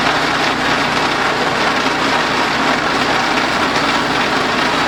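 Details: DR RapidFire PRO-XL log splitter, just back from the shop, engine at steady full throttle splitting dried cottonwood: loud harsh rough roar with a rattling edge on top; something rattling loose, cause not pinned down (muffler later failed).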